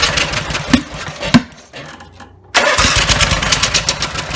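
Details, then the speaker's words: Rebuilt Briggs and Stratton 17 HP (carb rebuilt, plugs, sump, slinger, valves, gaskets redone) catches and revs hard at full throttle but falls away and dies when throttle is lowered; won't hold idle; owner suspects throttle linkage lever position. "I can start it it'll start up if I put the throttle all the way up and just rev up really loud like the engines gonna blow and but if I turn it back down it doesn't either a little just died on me"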